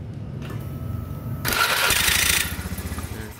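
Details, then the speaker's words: Beat FI scooter electric start: a harsh, rasping grind over the cranking for about a second; the starter pinion is misaligned and grinds on engagement. "oke perhatikan untuk stternya nah dia suara ngejelengiknya dia ada"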